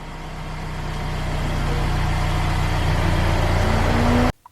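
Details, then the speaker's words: Mercedes that had been a crank-no-start for about a year, started with the relay grounded: starter turns over and the engine catches promptly to a steady, even run; normal start. "we're providing the relay with the ground so the relay closes let's try to start the car and sure enough the car fires right up"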